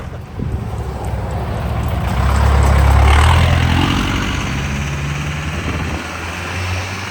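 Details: 1984 Chevy K5 Blazer CUCV with Cummins 4BT diesel, compound turbos, first test drive: deep drone swells smoothly as revs climb and ease, soft turbo whoosh, turbos spooling at decent rpm, less smoke; pulls cleanly.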